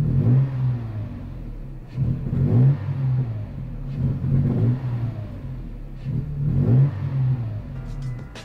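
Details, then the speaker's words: Toyota truck engine blipped in neutral with no load about every two seconds, each rev swelling slowly with a delay and sounding like misfiring; owner attributes the hesitation to a faulty mass air flow sensor, to be replaced. "so it catches air and then goes up now it sounds like it's misfiring actually"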